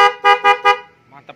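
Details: Denso snail horns with relay, battery-powered, on an automatic Vespa, tested after remounting since the first position did not fit: four short, loud, clear, rich honks about a fifth of a second apart; normal horn.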